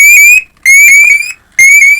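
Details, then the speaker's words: A firefighter PASS alarm from a hamfest gives a loud, piercing high whistle, climbing slightly in pitch, in three bursts. It works at full volume after battery and battery-contact replacement and meets its rated 95 dB at 10 ft. "that CL and uh said to be 95 DB at 10 ft and it is"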